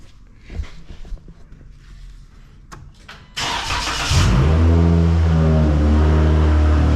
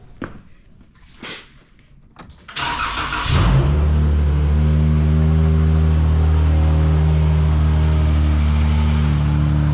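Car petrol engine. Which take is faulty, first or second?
second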